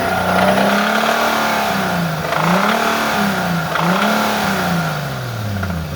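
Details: Nissan 370Z starting and revving with a faint tapping riding on it; owner unsure whether rod knock or lifter knock.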